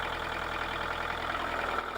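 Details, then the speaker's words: Kubota KH-90 mini excavator (built 1984 onward), old four-cylinder diesel at idle: even, steady low chug with regular beat and no knocks or misses; engine sounds smooth. "So, engine sounds smooth. Sounds like an old Kubota."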